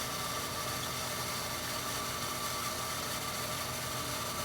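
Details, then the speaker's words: Well jet pump being re-pressurized after fixing a waterlogged tank, new ~120-gallon tank replacing a 40-gallon; pump slow to come back on, then starts: steady, even motor hum with smooth whir, no knocks, running normally building pressure. "usually this happens in seconds so I'm not used to taking this long for the pump to come back on oh come on there it goes"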